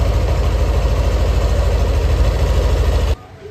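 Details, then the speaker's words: Yamaha NMAX Neo (3rd-gen) scooter at 6,300 km, around its oil change (new 5W40 synthetic engine oil, 15W40 gear oil): a small single cylinder putters at an even, steady idle for about three seconds, then shuts off cleanly, sounding healthy. "Terus untuk suara mesin kasar atau enggak tadi kan waktu sebelum diganti kalian juga udah denger ya bagaimana."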